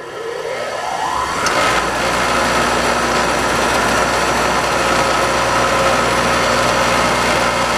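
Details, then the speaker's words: Scrap-saved single-phase air compressor motor with a run capacitor added on lead 7. It starts normally and draws half the former 4 A, with a steady hum; the bearings sound a little old but have plenty of life left. "now started up normally, and now we're pulling half the current because we have the run capacitor working."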